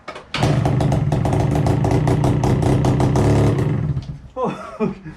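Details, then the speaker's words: Yamaha QT50 moped (1994/1996), barn find sat 13 years, new spark plug fitted, fuel squirted into the head: small two-stroke crackles into life with rapid uneven popping, then stutters and dies, firing only on the primed fuel. "we chuck a bit of fuel in the head see if she starts from that"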